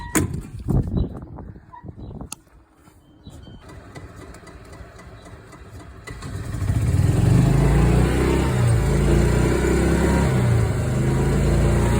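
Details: Old Club Car golf cart single-cylinder engine right after its first oil change in years: fires up and runs a steady, even low thump with no stumbling or bogging, running better than before.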